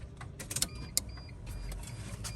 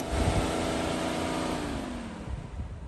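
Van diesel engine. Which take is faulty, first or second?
second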